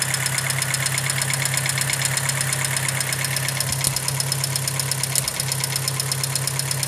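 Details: 2006 VW Gol G4 EA-111 petrol engine idling with low hum, light ticking and occasional stumble: misfire from spark leaking at third-cylinder coil terminal, plug wire faulty, recurring three months after earlier fix.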